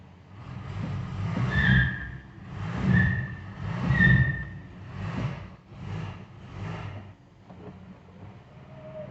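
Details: 1968 Mercedes-Benz 280S, brakes locked up from sitting: slow-rolling car gives a high squeal pulsing about once a second with each rear-wheel turn while the other side seems not to turn; dragging wheel squeal from seized brakes.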